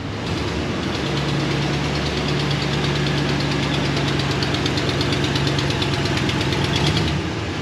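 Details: 2016 Dodge Ram 1500, 5.3 L gasoline Hemi V8, 52,944 miles, at idle: fast crisp ticking in time with the engine; exhaust leak from broken, rusted manifold bolts at tubular shorty headers.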